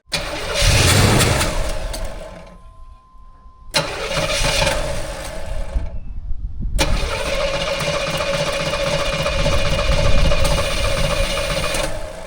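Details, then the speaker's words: Barn-stored classic car left sitting for years: repeated bursts of starter cranking with brief sputters that never catch. It wants to run, but no fuel is coming up from the tank. Cranks but won't start, no fuel delivery. "It definitely wants to run. I've just got to get fuel up here from the fuel tank."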